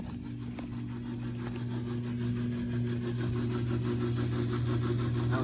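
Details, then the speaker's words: Discarded LG Inverter Direct Drive washer running a cycle. Even chugging about four beats a second, 'choo choo train', over a steady low motor hum; drain pump sounds wrong, cause not found. "pump sounds weird it's like it's going like chicka chicka chicka chucka took it like a choo choo train"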